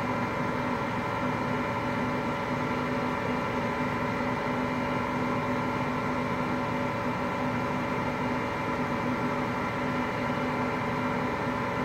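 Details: Hotpoint Aqualtis washing machine, bearings just started to go today: steady even roaring rumble with no let-up while the drum turns; drum bearing rumble.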